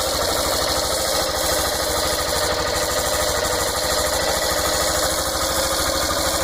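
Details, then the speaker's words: Fazer 150 motorcycle at idle: quick, steady tapping under the exhaust beat; engine knock of unclear source, persisted after dealership head work, mechanic suggests checking bottom end. "e ainda alega fazer esse pedido de minc a mostra um barulho caneca no motor quem já tem muito maior e aí então ajuda de que pode ser"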